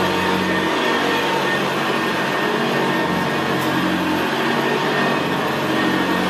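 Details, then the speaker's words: 1975 Hoover Senior Ranger U4002 vintage upright vacuum cleaner on carpet: steady, very quiet motor hum with the low gravelly brushroll growl typical of the Ranger; normal healthy running. "well isn't that absolutely beautiful machine to use it's just very very quiet and in very very growl very growling that's why I always said about the Ranger they always had a very very gravely brushroll on there"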